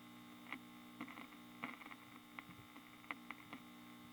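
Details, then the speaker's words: Kerenola Trav-Ler AM tube radio: steady low mains hum with faint crackles and clicks; adding 47 µF to 66 µF (over 100 µF) pulls hum down, possibly hum induced from elsewhere in the circuit. "that's just unreal and it might be that there's a home induced in the circuit from something else and this higher microfarad is pulling it down"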